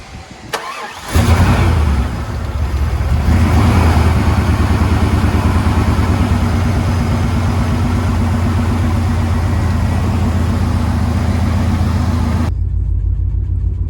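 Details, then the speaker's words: 1997 GMC 3500 7.4L Vortec 454 running rich, fuel smell from exhaust, fuel pressure bleeding off after shutdown: cranks, catches, then a deep, lumpy idle with uneven pulses; cylinder 6 fuel injector stuck open, flooding the engine. "so we know that this rough idle and fuel smell coming out the exhaust is because we're getting way too much fuel in the engine"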